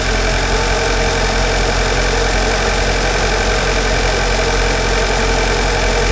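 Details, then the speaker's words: 2.0-litre turbo MK6 Jetta GLI at cold start-up: a loud, steady, even idle with a slightly coarse, tractor-like clatter and no irregular knocks; the engine runs well, and this is normal cold idle. "It almost sounds like a tractor when it first starts up. But as you notice, it runs really good."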